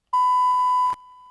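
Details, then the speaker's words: DBX 286s channel strip, faulty input stage/preamp: a steady test beep grows quieter, then suddenly drops out to a much lower level; gain changes make it worse. "as you can see in this sample it's getting more and more silent and suddenly it drops out again"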